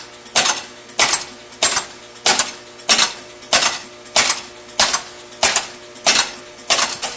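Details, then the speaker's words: County Fair pinball machine at first power-on after full restoration: sharp metallic clacks repeat nonstop every 0.6 s as the horse stepper increments each horse in turn as if a ball fell into a hole. "heard it sounds like what's happening is that the ball has fallen into a hole even though clearly the Playfield is upright and there are no balls in the holes and it's incrementing a horse One Step each time and then going on to the next horse incrementing it"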